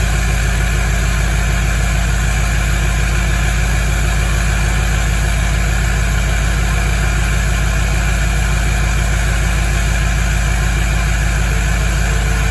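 Steady, fast, even diesel clatter with no stumbling or misfire: a normal raised idle right after a cold start.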